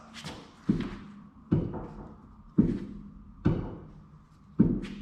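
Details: Jeep Wrangler Rubicon, Dana 44 rear axle: a heavy clunk about every second as the wheel is rocked by hand, showing play on both sides. Rear axle bearings worn; causes a wandering feel and popping/clicking noise.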